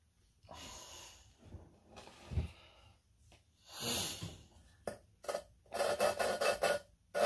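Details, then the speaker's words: Harsh, gritty back-and-forth scraping while lapping a 5.3 LS valve with coarse compound into an unseated seat. "so you hear that how loud it is grinding what we're going to do is we're gonna just spin this back and forth until that grind gets smooth"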